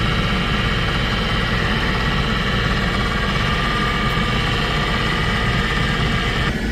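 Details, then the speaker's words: 2008 Toyota Kluger rear A/C blower motor after repair: steady even hiss over blower whirr without pitch change, from new carbon brushes not yet fully seated on slip ring; should quiet as they wear in. "itting on the slip ring it's making a noise guys guys because the carbon brass is not totally sitting it and the sleep sleep ring guys"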